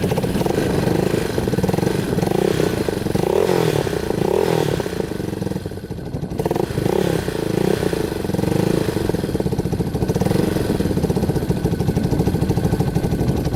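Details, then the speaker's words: Yamaha Warrior 350 quad on a test drive after carburetor cleaning and other fixes: steady, even note revs up and settles cleanly with no popping or misses, good power, hardly smoking; running smoothly. "Alright, it's running perfectly. Super smooth. Good power. Hardly smoking now."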